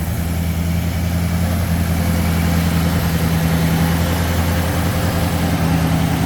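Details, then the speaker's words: 1966 AMC Marlin 327 V8 with rebuilt engine holds a deep, steady idle with an even low rumble and no knocks or misses as it slowly warms up after a cold start; the earlier clutch whir has gone away. "And it goes away. Car slowly warms up."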